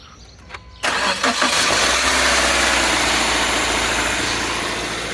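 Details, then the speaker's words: Subaru Outback starter: harsh metallic grind only while cranking, then engine catches and runs steadily; first suspected a stretched timing chain, cured by replacing the factory 1.2 kW starter with a 1.4 kW unit. "Sí, este sonido desagradable en forma de chirrido lo hacía el automóvil solo cuando se arrancaba el motor."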